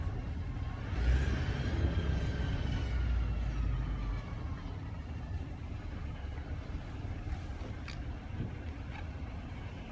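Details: Running engine with a thin, high whistle sliding down in pitch then fading under the running; possibly turbo whistle, suspected not confirmed.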